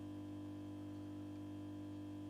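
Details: Mazda Solair 251 luminaire (1987) with a 150 W sodium lamp, ballast set to position 8: steady, even low mains-type hum with a fixed buzzy overtone and no flicker or crackle. This is a healthy ballast while the lamp warms up.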